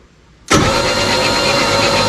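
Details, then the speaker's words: 1963 Chevy 4x4, 292 straight six, after pulling the head and pan and re-ringing all six pistons: starter spins the engine evenly with no grinding or binding; turns over freely. Normal cranking. "I like that it doesn't sound like uh Nails on a chalkboard when you turn it over"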